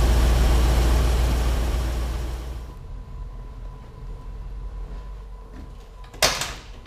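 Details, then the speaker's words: Ford F750 haul truck, stock 1974 Ford 391 V8, running in shop with smoke, won't run past idle, engine being pulled; deep, even rumble at steady slow beat with no misses or knocks, quiet; normal idle. "Sounds good. It does sound good. It runs real good. Quiet. Yeah, it is quiet."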